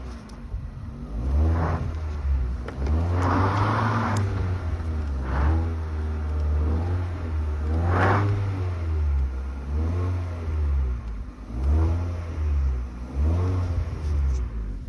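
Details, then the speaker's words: Hyundai Solaris fitted with a Kia Ceed GDI variable-geometry intake manifold, after its flap rattle was fixed in software. Repeated throttle blips rise and fall cleanly with no rattle or tapping. Intake flap now quiet. "То есть я надеюсь было слышно что вообще ничего не слышно вот и это просто на самом деле офигенно"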